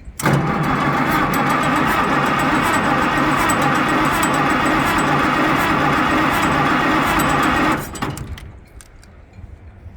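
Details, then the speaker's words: Cold tractor after some neglect, cranked without choke, which it usually doesn't need; starter churns steadily about three and a half turns a second for nearly eight seconds and never catches. "Um, usually this thing doesn't need any choke. So we're going to try real quick without choke."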